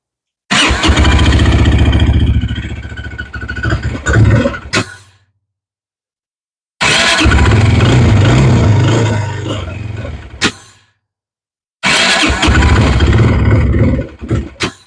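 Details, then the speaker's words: 2019 Textron Alterra 300 quad, microphone on a shirt: three short start-and-rev runs with an even engine note and no screech. This confirms the screech came from the primary clutch, whose outer sheave splines were worn bald. "But anyways, that's it. That was the problem."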